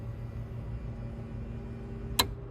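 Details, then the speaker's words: 2022 Keystone Cougar Half-Ton 23MLS travel trailer, slide-out motor M1 run from the outside control panel: even low electric hum holding steady with no grinding or straining, one sharp click near the end as the slide extends; normal operation. "so for motor one you can do out and you can hear the slide extending"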